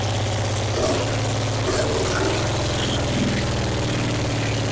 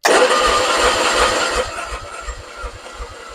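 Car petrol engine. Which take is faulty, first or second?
second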